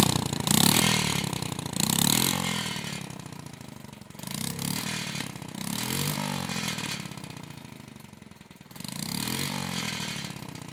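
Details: Honda Monkey Z50J small single, just after engine start, before exhaust leak repair: idles with a sharp puffing tick and a tinny buzzing rattle that swells and fades; exhaust leak plus vibrating loose exhaust protector/heat shield.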